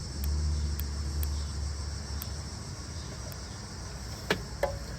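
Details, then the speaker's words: 1970 Ford Falcon with spliced harness, rotor removed, points opened by hand: sharp separate snaps at irregular intervals, one each time the points open, with a faint hum; normal ignition spark. "Every time I open the contact on the points, we get a nice spark."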